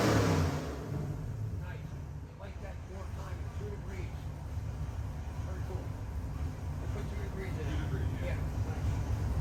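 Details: Customer's freshened 441ci LS7 stroker V8 (re-ringed, new bearings, heads redone, new port-matched intake, same cam) on the dyno, final pull to 6,500 rpm; deep dense roar holds hard and builds with revs, no knocks or misses, a normal full-throttle run.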